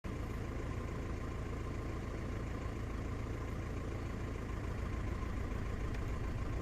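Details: VW Passat idling low and lumpy with an uneven beat and periodic stumbles; cylinder 1 misfire, fault code P0301 misfire detected.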